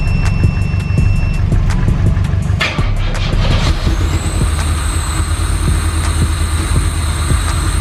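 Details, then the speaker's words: 1986 Pontiac Fiero GT (Ferrari F355 replica) on booster box and cables from a Subaru, with no air intake fitted: the starter churns steadily for several seconds before the engine finally catches and settles with a high whistle. A slow, hard start. "Well, she finally fired up. I was gonna give up there for a second, but let's go ahead, back the Subaru out of the way, disconnect our booster box and our booster cables."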